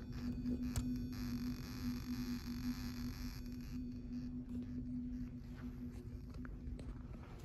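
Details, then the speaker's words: Simplex fire alarm speakers in a school: steady low constant-pitch hum, like a low-frequency Simplex tone, under faint hiss; a commonly seen speaker-line interference, source not found. "Some of these you can kind of hear like a weird tone in the background. It almost sounds like a low frequency Simplex tone."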